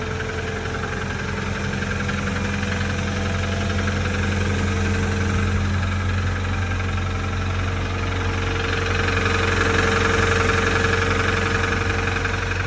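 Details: Toyota Tacoma 4-cylinder 2TR-FE at cold-start idle: a steady, even knock of about three beats a second. The owner suspects rod knock; not confirmed.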